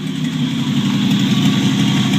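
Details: 1949 Chevrolet Deluxe 4-door, first start of a replacement engine swapped in for the locked-up original, no exhaust fitted. Loud raw idle with open-pipe rasp but even, steady beat; runs smoothly, normal idle.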